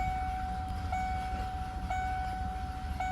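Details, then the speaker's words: 1994 Ford Ranger with taped-off idle air control valve: very low, deep, slightly uneven idle rumble; runs poorly and stalls at stops; temporary fix for ultra-high 3,000 RPM idle pending new valve. "we're idling nice and low here. So it doesn't run good like this. It dies when you come up to stop signs. It dies all the time."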